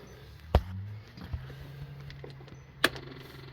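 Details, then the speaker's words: Kubota BX2360 4x4 diesel tractor after DIY fuel filter replacement: two sharp key clicks, then steady low electric hum as the fuel pump primes the system normally; no leaks afterward. "Hear the fuel pump kick in. Give it a moment or two."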